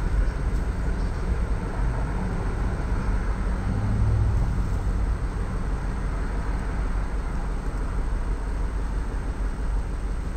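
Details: 1999 Ford Expedition 4.6L V8 at idle, check engine light on but no misfire code stored, deep uneven chuffing rumble shaking the engine; cylinder 5 misfiring, injector not getting signal, after owner's DIY tune-up.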